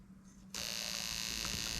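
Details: New 1996-97 LS400 1UZ-FE non-VVT-i harness with standard ECU on a 3UZ test engine, multimeter showing 13.3 V at fuel pump wire: sharp steady high buzz of coils sparking plugs starts abruptly over a low hum; ignition coils firing normally.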